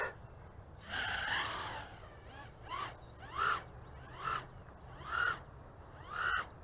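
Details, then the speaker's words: Aurora RC Mini Fight 110mm micro FPV quad on a 3S battery, Betaflight stock default PIDs, first flight line of sight: short motor bursts whose whine wavers up and down; propeller flutter from PIDs set too high, needing lowering. "right off the bat we got some flutter action going on so what we will need to do is readjust the PIDs a little bit yep lots of flutter"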